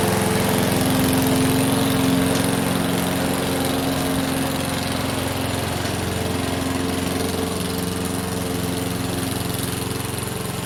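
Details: Free Craftsman lawn mower, previously taken apart and reassembled: single-cylinder engine holds a steady, even drone while cutting grass, no misses or surging; declared fixed.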